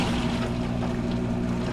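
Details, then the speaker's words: Hotpoint VWSR4150DAWW washer after replacing the WH23X10013 drain pump for a no-spin/no-drain fault, with the pump wired but left unmounted to check for leaks: a steady low motor hum with water rushing through and no grinding is normal drain pump operation. "I can hear the water draining out and just going to monitor it for leaks in any way"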